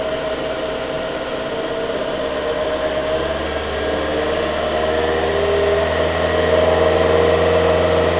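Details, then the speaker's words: 2002 Toyota Camry, 220k miles, after new valve cover, coils, plugs and throttle body cleaning: fast steady idle with loud hollow hiss and rising tone, because the intake hose was left disconnected. "it's your intake hose no wonder it's i can't believe the thing ran as good as it did"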